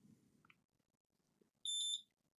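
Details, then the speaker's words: Lenovo V15 laptop with no power: single steady high-pitched multimeter continuity beep after faint handling noise, showing a shorted power rail; input MOSFET blown with a visible hole. "Yeah you can see it's beeping here and it's beeping here so it's exactly what is the junction uh blow up"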